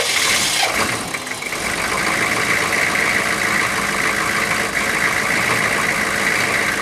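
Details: 6.5 turbo diesel first started after sitting about four to six years, low on coolant: steady even diesel clatter at idle, no misses, hiss and water sounds behind; running smooth now, though a coolant leak was found.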